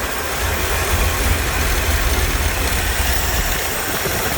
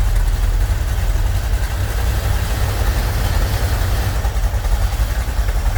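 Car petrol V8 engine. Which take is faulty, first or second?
first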